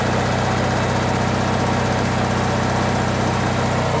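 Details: Onan generator that wouldn't start, after cleaning the burnt points and readjusting the point gap: steady, even engine beat at constant speed with no misses, surging or knocks. It now idles healthy and smooth.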